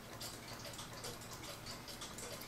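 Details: Howard Miller ship's bell clock after oiling, previously wouldn't tick; crisp, even ticks about four a second, steady beat, no stumbles; movement running normally.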